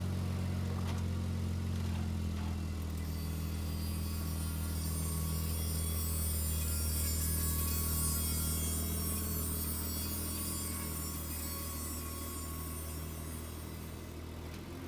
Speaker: are your wheels making obnoxious noises like this it's more than likely the brake pad wear indicator letting you know that your brake pad life is dangerously low and that it's time for new brakes